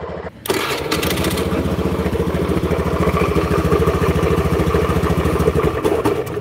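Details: Honda Beat scooter with a "klotok-klotok" complaint and history of engine teardown: right after start, rapid uneven knocking under rough single-cylinder idle, worn crankshaft bearings in the bottom end.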